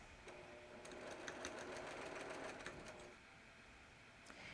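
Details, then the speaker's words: Long-arm quilting machine stitching with fast even thumps about three a second for a few seconds, a sign of a worn needle that needs changing. "I wanted to show it to you guys see if you could hear the thumping noise um I know that when I'm doing long arming if I hear that I definitely have a problem"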